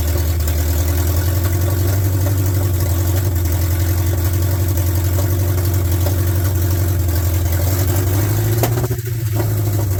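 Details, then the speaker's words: 1972 Ford F100 390 FE big block after sitting in a field, idling on open headers: deep lumpy uneven V8 idle, a bit ragged; owner blames bad gas, plans to clean it out and probably clean up and rebuild the carburetor. "Sounds good. It's It's a It's got some bad gas in it. I'll clean that out."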